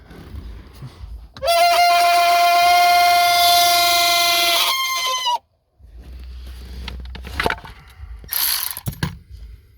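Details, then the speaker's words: WS6 Trans Am blower motor reinstalled in the dash after mouse-smell check: steady high-pitched squeal for about four seconds, then cuts off; it ran quietly outside the car, cause not yet found. "Alright, so blower motor is back in. She is not happy. Well, I ran it before I put it in and it did not make that noise."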